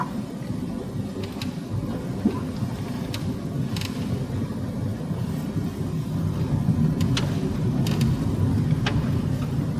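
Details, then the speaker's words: Honda Civic 4D (FD) while driving, all year round and louder each year: sharp, irregular creaks and crackles over road rumble from above the windscreen; the roof creaks against its reinforcements through dried rubber-bitumen adhesive pads, not the glass. "оказывается скрипит не само стекло а потолок то есть крыша автомобильная которая под картой находится вот а именно в ней получается находятся усилители крыши"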